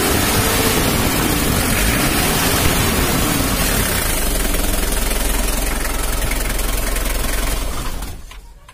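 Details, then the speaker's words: Mitsubishi L300 diesel giving thick white smoke, revved hard around 2500–3000 rpm: rough, uneven, stumbling instead of pulling clean, then dies away. Intake is choked because the air filter inlet is blocked by carpet/insulation; valve clearance and timing belt were also off. "kita coba dulu ya kalau digas besar itunya gempi"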